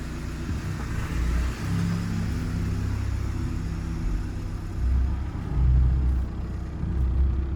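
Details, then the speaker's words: 2014 VW Passat TDI diesel just refilled with coolant after a coolant leak repair, warm-up idle outside the garage with warning lights on: deep, even rumble holding steady with slight swells, no knocks or misses; healthy. "So let's see if it starts. Yep. Sweet, look at that."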